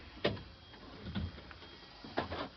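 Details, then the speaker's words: School bus with a dual air brake system, engine not running, during the pre-trip check: the door closes with two crisp, separate clicks, as required, in a quiet cab. Normal door closing. "And as you close the door, make sure you have 2 clicks when it goes closed. 1, 2."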